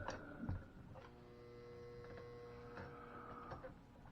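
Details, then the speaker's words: Pre-1957 American Flyer S scale locomotive after spraying electronics cleaner in the motor: thin steady electric hum with a few clicks but the motor doesn't spin; owner suspects worn motor brushes. "i can hear it buzz and i can see the stuff moving in there so i'm wondering if uh we're gonna have uh motor thing going on like maybe the brushes aren't good anymore or something"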